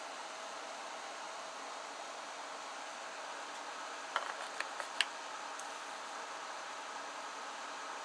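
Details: Supply fan of a homemade Peltier-kit humidity removal unit (3D-printed) gives a soft, even hiss with no rattle or rising whine, only brief handling clicks; the fan sounds healthy.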